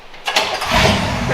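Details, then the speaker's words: 1962 Chevy pickup after swapping the 4-barrel carburetor jets to cure a rich mixture; it was missing before and is now firing on all cylinders. A brief crank, then it catches within a second and runs evenly; a normal quick start. "Like it starts good. Starts right up."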